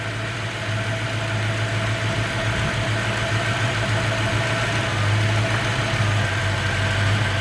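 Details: 1993 Mustang Cobra 5.0L V8 Fox Body with hesitation at 2000–3000 rpm and power loss: uneven loping idle with a gap in firing rhythm; one cylinder dead though spark present, running on 7 cylinders.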